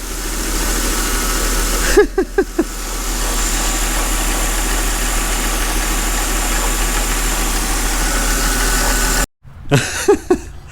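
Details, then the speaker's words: 2008 Mercedes CLK350 with 129k miles and a formerly seized engine, run briefly with no coolant: a steady, even idle with no knock or miss, only brief handling clicks. The engine runs smoothly. "So if Actually, I'm surprised. It runs very smooth, to be honest. There is no any knock sounds."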